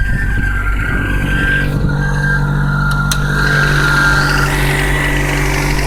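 A thin, high, steady squeal rides over a rough, even idle, holding its pitch the whole time; the cause isn't clear.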